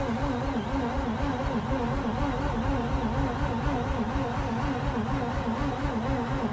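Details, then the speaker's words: Mazda RX8 after sitting overnight, crank position sensor replaced, alternator pulley locked up: starter cranks evenly at about two beats per second with foot down, engine never fires; no-start. "i'm going to first crank it over with a foot down and guess and starting to release [Music] and nothing"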